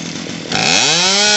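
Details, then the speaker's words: Poulan Pro PP4018 chainsaw after carburetor, fuel line and primer bulb replacement: saw fires and climbs smoothly to a high steady scream while the mixture screw is turned counterclockwise until it no longer bogs on trigger. "well i'm gonna go through it we're gonna fire this up and you're gonna hear it all right gonna go counterclockwise"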